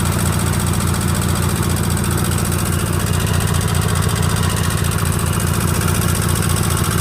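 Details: Sears GT18 garden tractor at steady low idle with light regular ticking about two a second, caused by too much gap on the left intake valve; owner hasn't yet replaced the valve.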